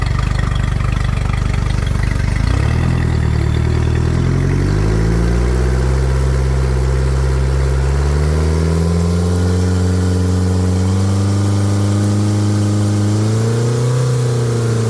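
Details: Mercury 115HP outboard after voltage regulator/rectifier replacement (previously overvoltage above 16 V), water hooked up, being brought up slowly to about 4000 rpm: catches, idles smoothly, revs climb steadily and evenly with no misses or knocks; normal running.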